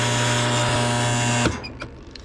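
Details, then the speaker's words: Roper washer motor in spin cycle after the capacitor and lid-switch wires were reconnected. A steady hum with a strong mains buzz, and it won't self-start until turned by hand. Windings are not burnt; the capacitor is suspected. Motor fails to self-start. "you can hear it hum nothing's happening but if i give it a little turn there you go"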